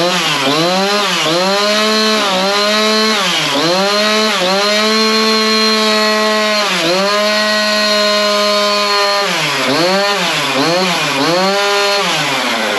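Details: Husqvarna chainsaw with a brand-new bar and chain fitted, started to check chain oiling: crisp two-stroke revving up and dropping back, clean steady pitch, no misfire or rattle; runs healthy.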